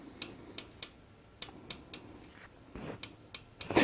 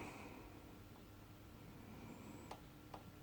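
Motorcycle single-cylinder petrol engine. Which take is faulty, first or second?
first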